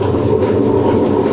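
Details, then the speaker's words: Hotpoint WM74S washing machine dated February 2000, drum turning at gentle speed. A heavy, constant rumble with a rough grinding, creaking edge comes from worn drum bearings; the motor may also need work. "let's have a listen on a gentle gentle speed the bearings creak a bit"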